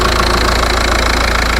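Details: VW Passat B5.5 1.9 TDI at idle, checked for the vacuum leak behind its no-turbo fault: even diesel clatter with no sucking or hiss from the vacuum pipes. The exhaust flex pipe is noted as worn. The idle sounds normal.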